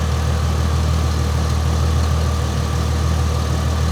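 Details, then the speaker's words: Ford Mustang V6, recorded with the hood open: smooth, even low idle rumble with a steady beat and no knocks, ticks or hunting; normal healthy idle. "All right, well, you get a V6, but she sounds good though."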